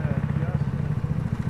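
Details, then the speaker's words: Trail Master 150cc go-kart engine, warmed up after carburetor replacement, idle mixture screw being tuned: low, even thumping about twelve beats a second, no misses or surging; smooth, properly set idle. "we're going to dial back in or out whichever way we need to go to get that smooth this back that's what you're looking for on your idle mixture"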